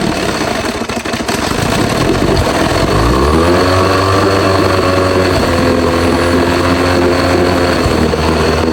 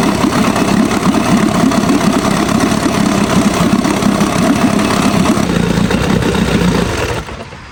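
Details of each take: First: Old Evinrude outboard, stored for years, first run on a test tank: catches and runs with a wavering, uneven drone, keeps dying without choke and won't take throttle; owner suspects the carburetor. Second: Old Evinrude Sport Twin two-stroke outboard, found after years in storage, after the carburetor was cleaned and fuel reconnected: even, steady burble with no stumbling, pumping water well; normal idle.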